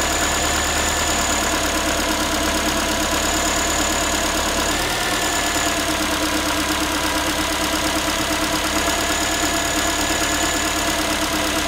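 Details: Ford Focus 3, 1.6 engine (125 hp), steady idle after a cold start: a tinny, tin-can metallic rattle at about three beats per second. The owner is asking what it is, and the source is not pinned down.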